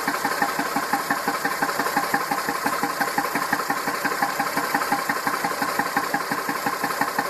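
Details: Massey Ferguson 2645 tractor, Perkins 6-cylinder diesel, owner claims rebuilt 100 hours ago: idle with a regular puff-like pulse about twice a second standing out, uneven exhaust beat; suspected poorly closing exhaust valve and low compression in at least one cylinder, unconfirmed.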